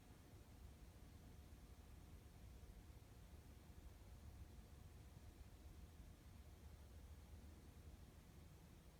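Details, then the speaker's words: HVAC furnace blower heard in the attic and through the return vents: quiet while spinning up or down, then a rough, low rattling roar at full speed from a wobbling blower wheel rubbing its housing. "And what you'll hear is, as it spins up, it's pretty quiet, but once it gets to speed, then the sound will kick in. And then same thing, when it slows down, it gets quiet. So there's some sort of wobble in here."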